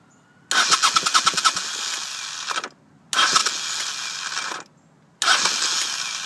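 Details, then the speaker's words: 1983 Honda VT500C fitted with a 1985 carburetor: three cranking bursts of two to three seconds each whir and chatter unevenly and never catch. Owner suspects a failed starter clutch, possibly its springs; the starter gears are reported fine. Hard cranking, fails to start. "see I mean if I get a good crank on it it starts great but I I can't get the thing to start you know good enough here we go again"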